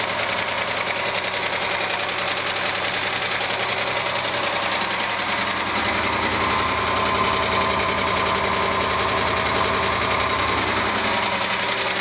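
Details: 1997 Argentine-built Renault Clio at steady idle: fast, regular light knocking about three to four per second from the engine's lower end; a mechanic suspects piston skirt slap needing an engine rebuild after valves were adjusted, unconfirmed.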